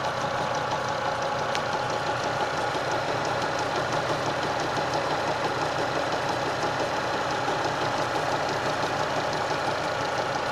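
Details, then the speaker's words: Engine at idle: light, uneven tapping riding over a steady idle, unchanged through the clip; suspected loose lower tensioner pulley fitted about 20,000 earlier, unconfirmed, new pulley ordered. "Так, вот и меня постигла такая участь. Где-то что-то подстукивающий звук какой-то."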